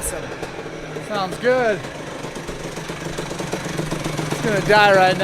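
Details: Freshly built Yamaha YZ85 two-stroke with new crank, still breaking in, coolant circulating: crisp low-speed crackle with two clean quick blips; normal running.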